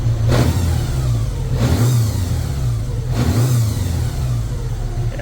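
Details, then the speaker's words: 1983 Honda GL1100 Gold Wing, barn-stored 9 or 10 years, after carburetor sync, warm at operating temperature; smooth, even low rumble with clean throttle blips settling straight back to about 950 rpm idle; normal idle. "that sounds really good let right down back to 950 where it needs to"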